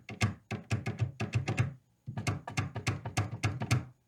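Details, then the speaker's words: 1970s Fender Bassman 50 tube amp during a poke test: tapping the orange lead sets off bursts of dull thumps and crackle through the speaker, about two a second; suspected causes are the tube, a solder joint or a microphonic wire, not confirmed. "hopefully you'll be able to hear that. It's quite noisy. So it could be the actual tube there, soldering joint here, or even just a microphonic wire."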